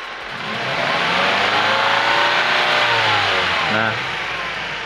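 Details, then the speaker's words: 2010 Ford Escape with the check engine light on and rough running. Revved and held, the petrol engine has an uneven, lumpy, unpleasant note because one cylinder is not working; engine misfire. "ini agak sedikit kurang enak suaranya ya gak merdu seperti mesin-mesin yang normal gu karena ini ada satu silinder yang tidak bekerja"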